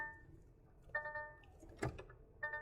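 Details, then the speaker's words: DAF XF truck: multi-tone dash chime sounds twice with a clack between as the harness is moved; VCAN 2 CAN high and low wires at the EBS plug cut and bared, triggering warnings. "So there's something wrong with the wiring here. So we'll better investigate this, see what's going on with this wiring harness. So it looks like someone's cut into VCAN 2."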